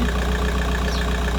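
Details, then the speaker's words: VW Golf 4 idling cold after replacing the water pipe seal on the cylinder head to fix a coolant leak, no leaks found, left running to reach 90°: smooth, steady, deep even hum, no misses, knocks or hiss; normal idle. "Donc les amis, je vais laisser tourner jusqu'à que ça chauffe, jusqu'à que ça atteigne la température 90."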